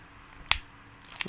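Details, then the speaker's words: Motorola Razr foldable phone in CNET FoldBot fold test, after over 27,000 folds: two sharp gritty crunches as it folds, dry scraping crackle; noise getting worse, hinge resisting when folded by hand, likely won't survive the machine further. "It's definitely making a different noise now. Is it better? It seems to be getting worse, I think, yeah."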